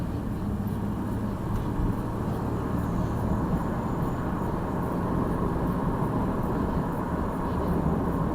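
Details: 2002 Jeep Liberty with swapped 3.7 engine on night road test, no check engine light, temperature normal: steady smooth low drone under road rumble with no knocks or misses; engine running healthy.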